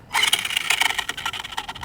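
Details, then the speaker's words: HPI Jumpshot V2 2WD RC monster truck, rear motor, after jumps: harsh rapid ratcheting grind in bursts as the motor spins and teeth skip; motor shifted and loosened the gear mesh, stripping teeth off the spur gear until it dies. "we've lost a couple of teeth off the spur and as you can hear it's going to uh destroy that in probably 3 2 1 dead"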